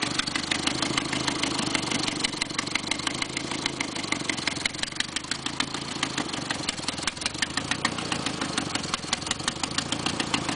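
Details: 1990 Nissan 240SX KA24E at idle: sharp, even, papery ticking that sounds like lifter knock but is an exhaust manifold leak; check manifold bolts and gasket.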